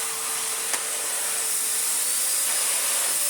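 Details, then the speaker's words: Miele Medicair Mini 1600 S168 vacuum, before restoration, on minimum power with bag door not fully closing: even high airy rush with a faint steady tone, no surging or grinding; motor runs normally with good airflow. "put it on minimum yeah really nice very bulky i can't lie it's very very bulky indeed okay that's obviously not affecting it at all"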